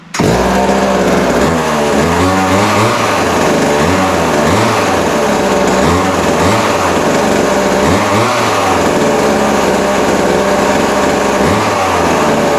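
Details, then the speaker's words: Vintage Montgomery Wards Featherlite 10-inch two-stroke chainsaw, believed late 60s or early 70s, running after adjustment; revs up and down crisply, settling back without stumbling, chain oiling; runs healthy, normal running. "no telling how old it is but man it runs runs good sounds good"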